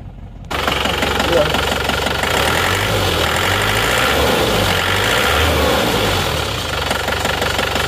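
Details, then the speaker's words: Isuzu Panther Touring diesel at idle, lumpy and uneven with loose tak-tok tapping and engine shaking, not from mounts; one cylinder seems dead, injector nozzle suspected. "Suara mesinnya agak pincang dan suara tak tok. Goyang-goyang ya. Ini bukan dari engine mountingnya, tapi ini dari mesinnya yang goyang."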